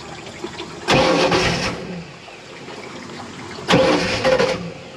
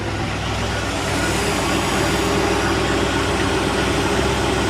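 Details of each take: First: 1986 Shamrock 20 boat, Ford 302 V8 unstarted for 3 years: two short cranking bursts that never catch; fuel pump heard running but carburetor bowl is dry, so crank no start from fuel starvation. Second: 1986 Shamrock boat Ford 302 V8, first run in 3 years after the fuel pump wiring was corrected so the carburetor gets fuel. Steady, even low rumble with no misses or surges; a smooth idle with good water flow.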